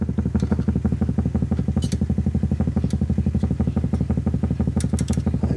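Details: 1931 Airline 62-14 radio under restoration, temporary 1 meg volume control fitted, chafed wire fixed: low hum throbbing about twice a second with faint crackles; set misbehaving, possibly RF section problem, not confirmed.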